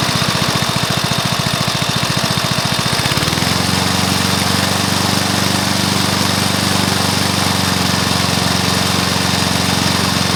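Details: Briggs & Stratton mower engine (believed early 1984), first start after rebuild with new piston, rings and valves for oil consumption (loose rings, worn valves); steady even run dropping smoothly to lower settled speed after three seconds, no knock or miss; normal running.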